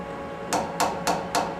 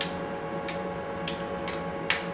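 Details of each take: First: Lathe 1-inch boring bar knock test at 4:1 overhang: five sharp taps ringing with bright, fairly high pitch, sign of excessive stick-out that will chatter (3:1 recommended). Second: Lathe boring bar at short overhang tapped, giving a short dull ring that dies at once; rigid setup, tone rises higher-pitched as overhang extends to 4:1 and 5:1 toward chatter; rigid boring bar setup.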